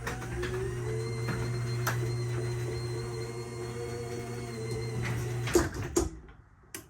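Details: New Chamberlain MyQ belt-drive garage door opener during install, setting the open limit with the up button: steady low motor hum with smooth belt whir about five seconds, then stops cleanly; running normally.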